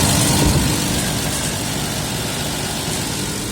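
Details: 1992 Nissan Patrol Y60, 4.2 petrol six-cylinder: steady, even idle with no misses or knocks. It runs about 790 rpm unplugged but jumps to about 1000 rpm when a connector is plugged in, so idle is high; cause still unknown.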